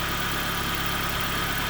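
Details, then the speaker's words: 2004 Nissan Pulsar N16 QG18DE, 120,000 km, after head gasket replacement (old gasket burnt between cylinders 1 and 2, causing rough idle, misfire, shaking under load): steady, even idle hum with no misses, stumbles or shake; normal idle. "Clean this up and then we'll throw it all back together. And this is how smooth it should"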